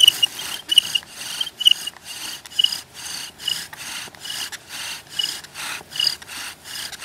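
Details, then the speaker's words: Bow drill: a steady, deep, even back-and-forth rasp at about two strokes a second with no squeak. This indicates good downward pressure and friction on the spindle. Normal bow drill friction grinding. "did you hear that deep grinding noise that I was getting? Yeah. That's what you're going to want to hear for. As soon as you start hearing that, you know you're really, you got a good motion going on"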